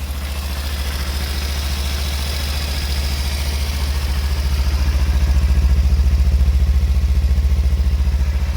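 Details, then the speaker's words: 2016 Kawasaki Ninja 300 ABS with about 60,700 km, started without throttle: deep, even thrumming idle with steady regular pulses and no misses or knocks; a rattle on revving is thought to be the exhaust guard. "สตาร์ทนะครับไม่ต้องมีบิดช่วย"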